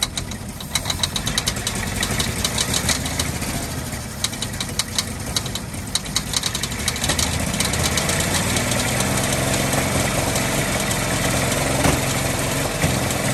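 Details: 1948 Ford F-5 ex-ice truck, first run after about 45 years sitting: rough idle with quick uneven light popping, about three per second. Owner believes the number six lifter is catching on its spring, not a knock.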